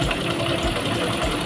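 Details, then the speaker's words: Honda Mega Pro new monoshock single-cylinder, long unused: steady idle with light fast rattling tick from the top end; suspected between rocker arm and camshaft rather than valves, pointing to worn camshaft lobe. "Suara itu berasal dari atas. Jadi, ada kemungkinan itu mengarah ke lengan ayun , poros bubungan, atau katup. Namun kemungkinan besar bukan katupnya, karena menghasilkan suara berderak."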